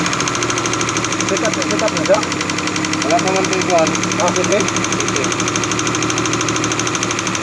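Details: Suzuki F5A engine at idle: fast, even metallic ticking knock from the top end over the engine note, attributed to a defective camshaft.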